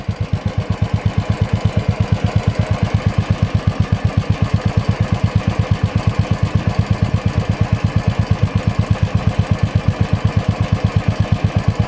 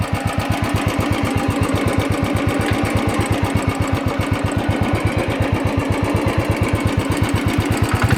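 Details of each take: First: Royal Enfield single at idle on the stock silencer; steady, deep, even thump with no misses or rattle, described as a decent thump but owner feels back pressure stresses the engine and plans to change the silencer. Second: Royal Enfield, tappet noise present since delivery, recorded being revved 1,487 km after the original tappet rods and hydraulic unit were replaced; fast, crisp metallic ticking keeps time with the engine, owner says it comes from the rocker arm beating.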